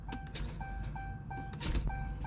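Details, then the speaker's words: Chrysler 200 with a no-crank/no-start complaint: sluggish, labored cranking under a repeating door chime, engine never catches; starter is trying but battery voltage appears low, with battery cables suspected. "Y'all hear that? And you can't really blame that on the starter, because the starter is trying."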